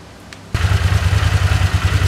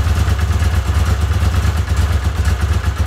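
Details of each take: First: Vintage Honda CX500 twin motorcycle idling after carb and ignition work, following fiddling with the vacuum on the side where an intermittent popping was heard. Steady, even low thump with no popping or stumbles; normal, smooth idle. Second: Honda CX500 V-twin after carburetor and ignition work: lumpy uneven idle with irregular puffs from a vacuum leak at a poor carburetor-to-intake connection.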